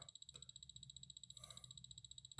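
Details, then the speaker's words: Orthofix Physio-Stim Lite 314L bone stimulator after fuse repair, its emission picked up by an amplifier, louder near the blue input capacitor: rapid even buzzing pulses about twelve per second with a thin high whine, alternating current; output pulsing normally, unit fixed. "yep it's definitely the physio stem making that noise yeah especially when you get near the blue capacitor which is the input of the amplifier yeah you really get the noise yep that indicates alternating current definitely"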